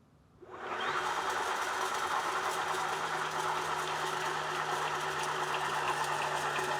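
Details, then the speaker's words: Tesla rear small drive unit for a 1976 VW Campervan conversion, spun on 48V via Open Inverter board, set forward: crazy loud steady hum with rough growl, owner suspects bad bearing, and a once-per-revolution click, possibly a ring gear tooth. "It's crazy loud. I hear a growl, I hear a click. I'm pretty sure that growl is a bad bearing, and that click, I don't know. That click seems to happen once every revolution."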